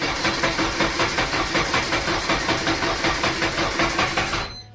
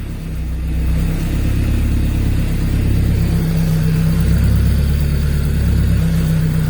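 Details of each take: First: Honda K24A2-swapped Fiero GT on first start attempt with old gas: steady starter cranking near three pulses a second that never fires before stopping; no spark or injection because the cam and crank (TDC) sensors are unplugged. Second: Honda K24A2-swapped Fiero GT on its first start after the cam and TDC sensors were plugged in: a deep, even engine note rising and falling with the revs, with the noisy twin-disc clutch rattling underneath. Revved to 5900 rpm, coolant at 78°C, running healthy.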